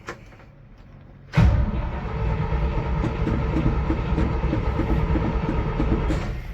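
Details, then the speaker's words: 1973 GMC 6500 grain truck with a V8, described as very cold-blooded: low, steady cranking for about five seconds that never catches. The carburetor is suspected to be well out of adjustment; it later fires with starting fluid. "More than likely the carburetor is way out of adjustment, but what are you gonna do? Try again. She wants to."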